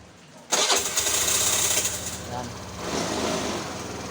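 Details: Scooter with a hard-starting complaint, tested in the rain after its original stock spark plug was replaced: the starter whirs briefly, then the engine catches at once and settles into a steady, even idle.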